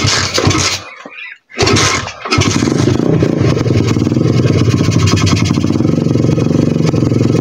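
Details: 125 cc pit bike single revs unevenly, cuts out almost to silence twice, then runs raggedly; owner blames the carburettor, unconfirmed.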